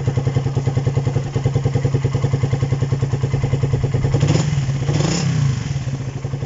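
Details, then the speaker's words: Raider 150 after cam chain tensioner reset: steady, even thumping idle with one brief rev around four seconds, the earlier ticking gone; engine sounds healthy. "Yan, okay na. Nawala na yung lagitik na narinig natin dyan."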